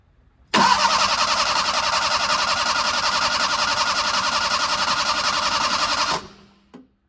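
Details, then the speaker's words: Fiat 850 Sport Spider after draining gasoline-contaminated oil and refilling three quarts: even starter cranking about 3.5 beats a second for five seconds, never firing; no fuel reaching engine, no fuel from pump line, owner may need to prime pump or add fuel. "my oil pressure light went off on the dashboard but it does not look like we're getting any fuel yet so I may need to prime the pump or possibly I do need to add more fuel"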